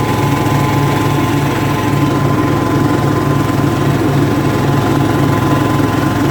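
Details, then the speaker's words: Craftsman LT2000 lawn tractor, unused since about 2013–2014, running after an oil change with a new transmission pulley fitted. Low steady engine drone with an even throb under light load, no knocks, slips or squeals: normal running. "just gonna fire it up when you let her run for a second and check the levels again"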